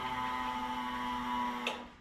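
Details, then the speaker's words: Electric fuel pump on an LS-swapped (5.3 LS) 1948 Dodge pickup with newly replaced injectors, fuse reinstalled and key on: steady whine under two seconds then clean shutoff, normal fuel pump priming with no leaks seen. "we should be able to put the fuse back in for the fuel pump, turn the key, prime the system, and hope for the best."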